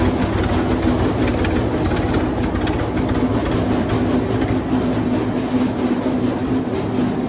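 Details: Wood chipper engine running after new spark plugs and a battery: loud, steady, even drone with no misses, knocks or surging, running smoothly.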